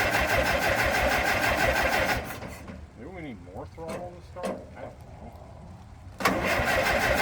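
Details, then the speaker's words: Late-1950s Minneapolis Moline 445 tractor with rebuilt Marvel Schebler TSX-633 carburetor, strong spark and what sounds like good even compression; fires and runs at about four beats a second only while sprayed with ether; fueling problem suspected. "guess the next question is well doesn't matter I'm spraying it with ether well we know it'll at least run"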